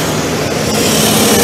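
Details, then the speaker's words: New ARIACOM SAX 112 diesel screw compressor, 126 hp Cummins engine, Atlas Copco screw block, warmed up then loaded to max working pressure (12 atm) at about 2,000 rpm: loud, steady diesel roar with airy rush, no knocks or surges; healthy. "Мы даём обязательно прогреться компрессору какое-то время и после этого поворотом тумблера можем нагрузить его"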